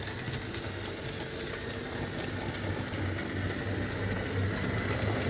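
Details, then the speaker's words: Lima model locomotive on a loft railway: a steady, rough, buzzing whir under quick soft chuffs about three per second. The motor is very noisy, and a replacement motor kit has been suggested; the original rubber tubing damping is back in place. "the main issue I've got with it is the Lemma Loco here is very noisy and somebody did say yeah you need to put a replacement CD motor in it"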